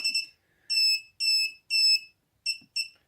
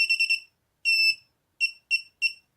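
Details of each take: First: Mobula7 FlySky quad powered by battery, arming attempted via Turnigy Evolution transmitter switch: high shrill beeps, two short, three long, two short, meaning it is not armed; fixed by briefly removing battery and powering on again. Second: Mobula7 FlySky-version quadcopter, powered by battery and USB, switch in middle position: high clean electronic beeps, its normal ready-to-arm signal.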